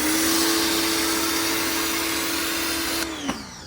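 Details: New LWQ pressure washer on its first run, hose connected and trigger pressed to purge air first: steady high motor whine with hissing spray, even and strong, then winding down as the trigger is released; healthy unit.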